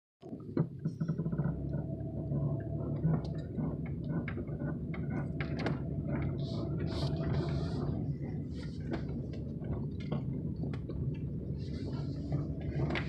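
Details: 2001 Chevrolet Impala turning left: low groaning creaks with scattered clunks from the front end; cause unknown.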